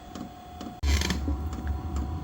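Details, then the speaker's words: Chinese diesel heater refilled after deliberately running out of fuel and not primed: fuel pump ticks about every half second, then a low whoosh as it tries to light and goes out; fails to ignite, starved of fuel. "all right so I purposely did not prime it and I just heard it sounded like it tried to fire and then it just went out so I bet it's going to throw me a code here in just a"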